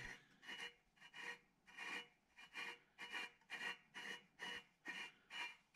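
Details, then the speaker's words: 1972 Alumacraft row boat outboard lower unit, disassembled, shaft turned by vise grip after oiling the bearing: slow rough rasp every half second; bearing sounds dry, possibly permanently damaged, seal kit and bearings needed. "i'm not sure if i could just put gear oil in this and be fine or if that bearing is permanently damaged from it um you know i'm not sure but um it sounds a little dry"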